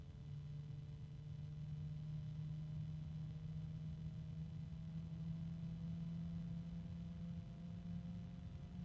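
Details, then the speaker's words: Sleeve-bearing PC cooling fan with 3-pin connector, free-running: steady low hum with fainter higher harmonics drifting upward and slight rubbing; fan tonal hum, quiet now but expected to worsen. "Sleeve bearings. And it's pretty quiet. It won't stay that way because it's sleeve bearing. You can hear a little bit of rubbing."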